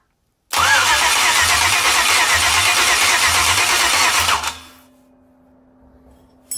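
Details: LS V8 being swapped into an Isuzu pickup, cranked with manifold and spark plugs in after blowing out all eight cylinders: even, firm beats about three a second for four seconds; compression sounds even across cylinders.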